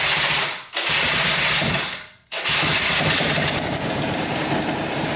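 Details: 2003 Polaris Sportsman 90cc two-stroke ATV after new top end and oil pump, premixed 40:1 for break-in: two brief cranks, then fires and settles to an even crisp buzz without knocks or misses; normal start and run.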